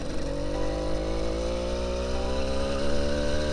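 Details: Motorized bicycle that had been limiting power, after adjustments and cutting the exhaust pipe: a small two-stroke buzzing up through the revs with a steady pitch climb, pulling cleanly under throttle without stumbling; normal acceleration.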